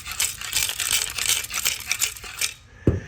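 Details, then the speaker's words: Driver-side catalytic converter removed from a 2015 Chevy Camaro 2SS RS convertible with 51,000 miles, shaken by hand: loose gravelly rattle of broken pieces tumbling inside; the substrate has broken up, replaced with a used takeoff converter. "The issue with that one was the material inside the actual catalytic converter was broken and coming apart. Let me see if you if I shake it if you can hear it."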